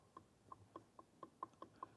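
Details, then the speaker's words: 1949 U23 truck rear differential during rebuild, bearings fine and quiet: axle rocked by hand to check backlash between pinion and ring gear gives light metallic clicks about four a second; a little play, judged acceptable, to be measured. "And you can see or hear it. We have a bit of play. So we're going to measure this."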